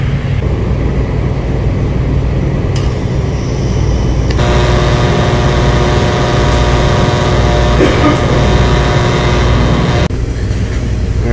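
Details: True reach-in cooler not cooling: compressor at start-up gives steady low hum with even rhythmic pulsing, no knocks; weak suction valves in the compressor make pressure slowly drop lower and lower.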